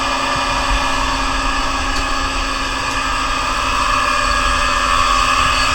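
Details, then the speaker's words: Monarch Merit lathe motor on its new AC drive (VFD), first run from the internal controls at 34 Hz, constant speed. Steady high whine over an even motor hum; owner attributes the noise to the carrier frequency at about 8 kHz, adjustable up to 10 kHz. "looks pretty good a little bit of the noise there i don't have that carrier frequency set too high i guess at about 8 kilohertz"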